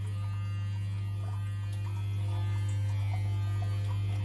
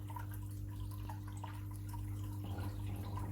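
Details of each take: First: Modified Eheim Quick Vac Pro gravel cleaner run from a 12-volt 45 Ah battery: loud, steady low hum with no change in pitch; motor energised but the pump is not drawing anything. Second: Eheim Quick Vac Pro gravel cleaner modified for stronger suction in a 600 L tank: even low motor hum under watery drips and gurgles; running normally and now sucking heavy particles.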